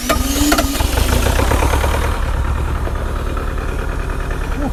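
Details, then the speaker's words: Cold Bobcat T595 Doosan diesel, held at idle by its cold-temperature RPM limit and still missing on one cylinder: uneven, lumpy clatter with heavy white smoke smelling of fuel; an injector is probably stuck open. "So that much white smoke does tell me that we have an injector probably stuck open, unfortunately."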